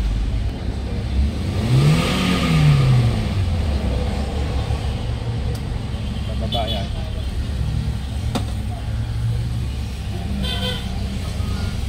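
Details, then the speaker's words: 2016 Toyota Avanza dual VVT-i after replacing stuck-open throttle body and relearn; check engine light off, correct idle rpm; revved, pulls up smoothly and drops back to steady idle without hunting; healthy. "Yan po, susubukan natin i-rev yung ating pagkabit ng throttle body kung okay."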